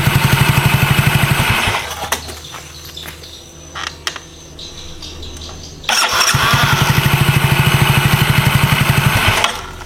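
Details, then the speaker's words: Yamaha Mio GT automatic scooter that had a slipping starter (only whirring, engine not catching); after the fix the starter engages at once, engine catches and revs in steady even pulses, no slipping, runs healthy. "Oke jadi motor ini Diar dia langsung jreng langsung nyangkut ya enggak ada ngelos"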